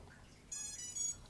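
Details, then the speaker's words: Raceflight RF1 flight controller ESCs just upgraded and reconfigured via 1-wire: short, high, clean electronic chirp of normal ESC startup beeps. "Okay. Now you can hear all the ECs beeping again."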